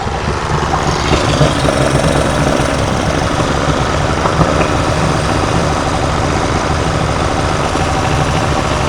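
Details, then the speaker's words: Yamaha 90 outboard two-stroke during service, decarbonizing: steady, loud low idle with even beat and no misses, smoking as it burns off carbon from the rings after cleaning. "Well, now we cleaned it. Now we cleaned its ring piece out. Yep. Yeah, that's awesome. So all that smoke was just burning the crap off"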